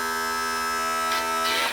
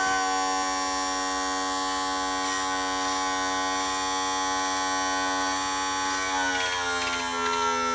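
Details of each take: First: 1986 35 hp Mercury outboard tilt/trim, just repaired (cleaned stuck, dirty motor brushes) and refilled with fluid: steady electric pump whine with rough, hissy bursts of air gurgling through the system; more fluid likely needed. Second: 1986 35 hp Mercury outboard tilt/trim motor after cleaning stuck, dirty brushes and bleeding the system: steady electric hum dropping slightly in pitch near the end as it takes load; trim motor now running normally.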